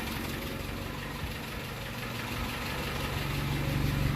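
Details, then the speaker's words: 1948 Peugeot 202 being revived, first start with the choke on. Low, even idle with rhythmic puffing about four beats a second, and little coming out of the tailpipe. Exhaust leak low down under the car. "very exhausting not a lot coming out the pipe it's probably all coming out to leak sounds like it's coming out right down here"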